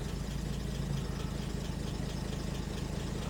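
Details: Warm 1970 Jaguar E-Type Series 2 with triple carbs at idle: smooth, steady low rumble with no knocks or ticks. The engine sounds healthy. The manual gauge shows good oil pressure, but the dash oil pressure gauge reads near zero.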